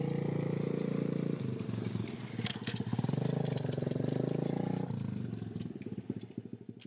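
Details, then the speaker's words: Pit bike trike with a small single-cylinder engine revving unevenly, a loose, irregular flapping slap riding over it. The drive chain is too long and has no chain guide, so the slack chain slaps; a half link is planned to take up the slack. "definitely that sound you're probably hearing is to chain it's a little bit too long so I got a half link for it which should take care of the slack and then it won't rattle"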